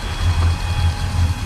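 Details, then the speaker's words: Volvo Penta 8.1 GI (496) marine V8 at idle, heard by ear at the exhaust manifold: deep smooth rumble with a slow sag about twice a second; number one cylinder dead, its manifold cold and plug dry, from a clogged injector. "It's the only way I can tell if a 8.1's misfiring because they're so smooth. There's no difference on this cylinder. Nothing. Nobody's home."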